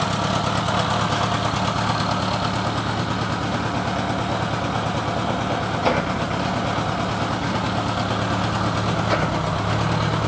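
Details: Honda GL1000 low idle with a slightly uneven beat, about three pulses a second that stumble now and then; possible misfire, not confirmed.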